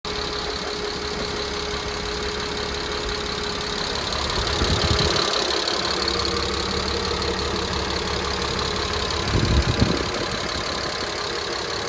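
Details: W202 C280, M104.941 inline-six, 193k km, timing chain, tensioner, head gasket replaced, fresh 10W40 plus lifter additive: light rapid ticking at idle, from start-up, following revs; owner suspects lifter tick, unconfirmed.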